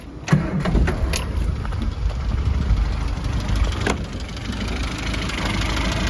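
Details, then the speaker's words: Mini A-series petrol engine, suspected clutch hydraulic leak (slave cylinder may be replaced): catches quickly and settles into a steady, even idle with a light normal tick, particularly quiet, sounds sweet. "but apart from that the engine sounds sweet as a nut i just fire it up so you can listen to it all scenes"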